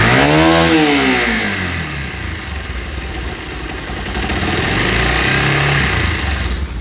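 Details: Bajaj Pulsar 150 BS4 motorcycle; engine revs and settles with busy metallic whirring rattle over the exhaust note; worn balancer pinion gear, fixed by installing a new balancer pinion.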